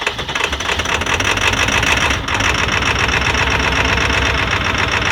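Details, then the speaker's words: 20-year-old Ford 7.3L Powerstroke diesel started around -30 °F after a week at -40 to -50 °F, plugged in 3.5 hours, idling low with clatter and fast sharp ticking from an exhaust leak. "what an exhaust leak"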